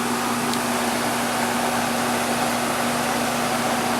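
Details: Goodman outdoor heat pump unit running in heat mode on a 53°F day: smooth, even fan rush with a steady low compressor hum and no knocks or rattles; normal operation.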